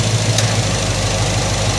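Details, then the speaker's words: 1986 Chevrolet Monte Carlo SS, after restoration, AC compressor not engaging. Steady idle, then a sharp click as the compressor clutch pulls in with the accumulator pressure switch plug jumped and the air cools; the pressure switch is diagnosed as faulty. "Well, there we have it, diagnosed, faulty pressure switch."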